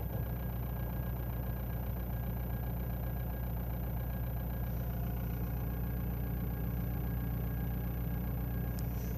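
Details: Ford Mondeo 2.0 TDDI diesel idling cold with a steady low drone and a faint constant whine that doesn't change with rpm; goes away once warm, cause unknown.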